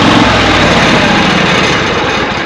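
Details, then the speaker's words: Riding mower that intermittently only clicks when starting. A meter on the battery cable at the starter read about 10 volts during cranking, so the battery from 11/19 is judged still good. The small engine catches and settles into an even chug. Normal start. "and of course mine started but when it cranked I you know the meter's not super quick but it went down to 10 volts"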